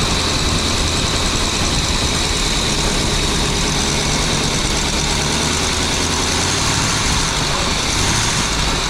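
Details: Birchaven motorhome V8, Quadrajet carb, after 12 years stored, fed from a gas can, radiator cap loose, coolant leaking: even, steady idle under a lot of hiss, no knocking or misses; oil pressure up nicely, normal idle.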